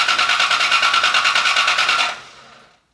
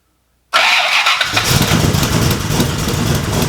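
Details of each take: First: Rebuilt Cobra engine, first start attempt, fuel pressure 55: even starter chugging at about three beats a second with no firing. Distributor was out of time; pulling, resetting and refitting it made it fire right up. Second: Rebuilt wrecked Cobra engine's first start, starter getting dirty and due for replacement: brief crank, catches at once, settles into a steady even idle with no misses or knocks; temperature, oil pressure, oil temperature, water temperature and fuel pressure all good.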